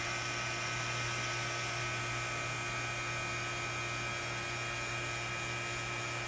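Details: C7 Corvette Z06 intercooler bleeding with a Cooler Bleeder on a Robinair vacuum pump: steady electric pump hum with a constant low drone and even whir, no knocking or rattle; vacuum pump running normally.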